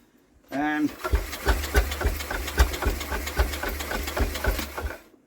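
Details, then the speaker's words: Villiers WX11 engine that fails to keep running, air filter removed, spark confirmed: uneven chuffing firing beats, about three or four a second, catching on the pull but never settling into a steady run; carburettor mixture screws suspected. "definitely far and I know that so we definitely got a spark because it is trying to go but it seems it can't now let's have a little fiddle with these two screws"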